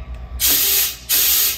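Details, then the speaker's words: Air gun blown through the outlet of a spare fuel tank for a barn-find bug-eyed Austin-Healey Sprite: two strong bursts rush freely through with no choking or gurgle, so this tank is not clogged, unlike the original. "you can hear this one is not clogged up so this is the tank that i'll put into the bug-eyed sprite"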